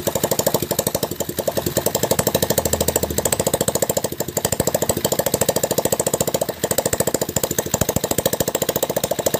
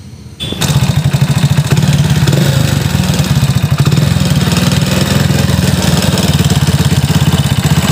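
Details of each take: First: Hero Splendor single-cylinder after full engine rebuild, oil pump serviced and gasketed, clutch refitted, first start; crisp even putter about three and a half beats a second, no knocks. Normal idle. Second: Hero Splendor single-cylinder before engine rebuild, warm idle (rougher on morning cold start); fast even tapping and clatter over the beat, noise at timing chain and head. Piston slap and timing chain noise.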